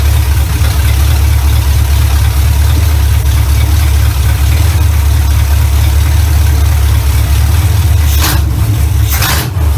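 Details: 1970 Chevy Impala V8, first run in 4 years right after fitting a new carburetor, ignition advance not yet capped: loud deep steady rumble holding even idle, no misses or stumbles; runs much better than old carburetor, normal idle.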